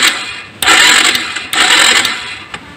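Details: Honda Supra X 125 carbureted motorcycle, arrived stalled: two roughly one-second bursts of starter cranking, no catch; no spark at plug, pulser test LED stays dark, traced to faulty pulser coil.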